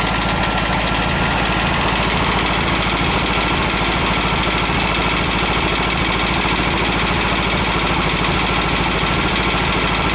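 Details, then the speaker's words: Garage-found VW bus engine on carb: lumpy, uneven loping idle with loud tapping and popping through the carb, one cylinder dropping out and only firing once in a while; burnt valve suspected, dead cylinder misfire, compression test planned. "still tapping loud juding by the way that's popping through the carb has a burnt valve you can hear it kind of kicking in though Fire's on on once in a while"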